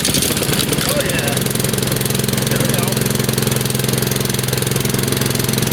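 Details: Mower, first cold start of spring, pulled on choke: small single-cylinder pops at a quick even beat with no misses or rattles, clean healthy warm-up idle.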